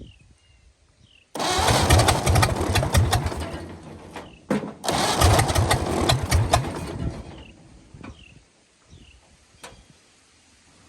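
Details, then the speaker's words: 1929 Ford Model A four-cylinder, abandoned 75+ years, ex-two-door coupe likely used as doodlebug or power unit: engine catches and races steadily wide open without settling to idle; owner thinks carburetor linkage is holding throttle open. "well she runs but she's wound wide open here let's uh let's fix that thinkig our carburetor linkage is a little"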